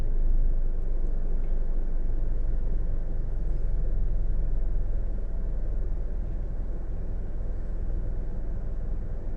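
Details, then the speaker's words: 2012 Nissan Rogue after induction service and throttle body and MAF cleaning; idling in gear with the A/C clutch cycled, the rpm needle barely dips. A steady idle rumble with no surging, where before the fix it shook when the A/C engaged. "so I'm I'm noticing a great improvement drastic improvement actually they put it in neutral drop it in gear turn on the AC yep turn it on again the needle barely comes down"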